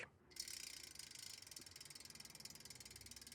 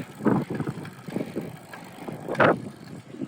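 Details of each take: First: Extralite CyberRear SPD3 rear hub after a full rebuild with NTN bearing replacement and freehub play removed: crisp, rapid, evenly spaced ticking as the wheel coasts. Normal freehub pawl engagement. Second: Extralite CyberRear SPD3 bicycle rear hub while riding: irregular dry creaks and squeaks from a worn freehub body bearing (6803); fixed by full teardown and bearing replacement.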